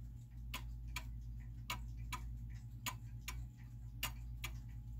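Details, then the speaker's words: German time/strike clock in an old case, case shifted off level: uneven limping tick-tock with alternating long and short gaps, out of beat, and the clock stops. "you hear that now it's now it's out of beat right it's sort of a tiptoe and actually the clock has stopped because it's out of beat and it can't stay running that way"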